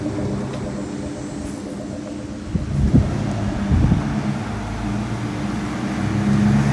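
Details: 1967 Ford F100 with 4.6 DOHC V8 from a Lincoln Mark 8, after installing new serpentine belt: steady low drone, no chirp or squeal; belt squeal fixed, old bearings weren't the cause.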